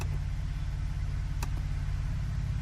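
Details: 2011-2016 Ford 3.5L EcoBoost idling after replacing failed aftermarket coil on cylinder 4 with Ford factory coil: smooth, even idle hum, steady low beat, no skips; all cylinders firing cleanly.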